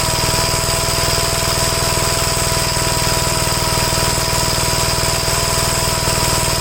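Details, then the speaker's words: Gravely tractor after carburetor swaps and adjustments, running properly: a steady, even single-cylinder beat at constant speed with no misses or surging. This shows nothing was ever wrong with the carburetors. "so there was nothing ever wrong with the carburetors I wasted hours and hours trying to mess with the carburetors here"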